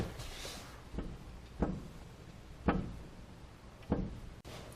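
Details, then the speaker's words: Ford truck, view from under the vehicle while prying up with a long pry bar: a dull clunk with each pry, roughly four in five seconds, as the stud and ball visibly move in the socket. Worn lower ball joint with obvious play. "we're going to show the deflection of the ball joint ideally there should be no deflection at all especially on new type ball joints and this one you'll see is very obvious and this isn't even the worst I've seen"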